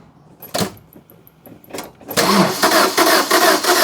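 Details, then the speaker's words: Fiat Doblo van that broke down on the M25: starter spins the engine fast and evenly with no compression pulses; timing chain snapped, cams not turning, valves possibly bent; judged beyond economical repair. "Timing chain's gone. So, I can see the cams. Go on then. Spin her over."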